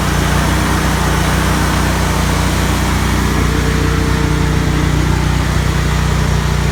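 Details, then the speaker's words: Lawnmower during winterizing, running a couple minutes on ethanol-free TruFuel to flush ethanol gasoline and dry the carburetor; loud steady drone at constant speed, even beat, no sputter or hunting: normal running. "now okay now what I want to do is just run that through there for a couple minutes just let that uh that ethanol 3 fuel work its way out really dry out the carburetor"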